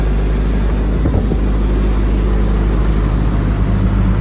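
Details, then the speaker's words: Reconditioned 35 kVA Kirloskar/Deutz HA494 four-cylinder air-cooled diesel generator, 45 BHP at 1500 rpm, silent canopy: steady low rumble at constant speed, no knocks, surging or smoke, near zero vibration; runs smooth. "प देख सकते engine की performance बिल्कुल एक आवाज में इजन चल रहा है दोस्तो देख के लग र चल भी रहा है जीरो वाइब्रेशन होती है सेटों के अंदर जनन सेट है"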